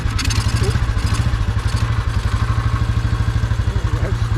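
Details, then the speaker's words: Royal Enfield 350 Bullet with an iron barrel, cold, started on choke; composite head gasket blown between head and barrel (flames seen earlier), almost no compression, oil leaking; sharp puffing chuff on every firing pulse. "it's probably only running cuz it's cold when everything expands it'll let it blow out a bit more but you can hear it now"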